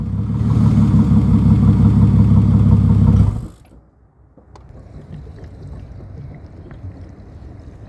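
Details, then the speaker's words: Turbo AU Falcon ute on a purchased flash tune, jump-started from an external battery: engine starts and idles for about three seconds, then cuts out and dies; dies instantly with revs. Owner suspects the tune or insufficient fuel in the rail. "It will start or idle well, okay, for a few seconds and then it will just die."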